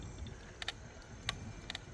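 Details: Brooks B67 saddle creaking on a loaded touring bicycle during a rail trail ride, metal parts not retightened, fixed next day; faint sharp clicks roughly twice a second in step with pedaling.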